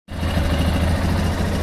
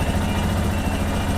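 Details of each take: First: Lander 250 single-cylinder at idle, running 10W40 oil and not smoking: quick rhythmic mechanical chatter riding on the exhaust beat comes and goes, then stops and it runs normally; intermittent abnormal engine noise, cause unknown. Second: Lander 250 single-cylinder motorcycle engine running on 10W40 oil with no smoke, where the owner hears an intermittent strange noise that comes and goes: even steady burble with no knocks or rattles; idling normally.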